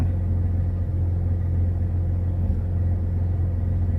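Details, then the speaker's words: Mazda RX-7 FC rotary after installing a MAF and TPS, warmed up with temperatures levelled off. Steady low idle with a faint occasional stumble; the check engine light is back on. Slight misfire at idle, cause unknown. "all right well after a little bit of warming up temperatures are up just kind of leveled out you can hear a slight misfire"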